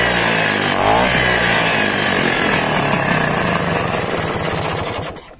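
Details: Vespa two-stroke held at high revs after carburetor refit: raspy, uneven buzz before dropping away while blowing dirt from a clogged carburetor; clogged carburetor.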